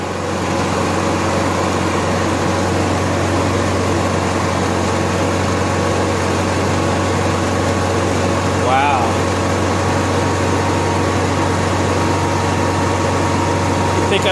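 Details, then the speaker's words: Honda EXW171S welder generator after sitting in a barn over 5 years, fuel filter fixed, warmed up on choke and throttle: quiet steady hum at constant speed with no misses or hunting; runs smooth and healthy. "I know it's weird building this on a cell myself and you run a generator inside it's real quiet"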